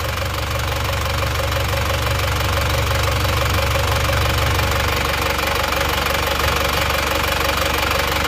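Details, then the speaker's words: Diesel after engine overhaul, original liners not flipped as still good: even, steady idle with a light regular clatter of roughly three beats a second and no stray knocks; sounds healthy, exhaust smoke now thin. "lagi suaranya bagus ya teman-teman ya nah ini sudah selesai kita review hasilnya sudah bagus untuk asap kenapot pun juga sudah tipis"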